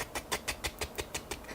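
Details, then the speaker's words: Box fan: sharp regular ticks about six per second over a faint hum, a dry fan bearing clicking as the blades turn; tapping the case brought a roaring, funky sound. "I was just about to do some work on the computer to substitute some more video editing and I heard this weird clicking sound like"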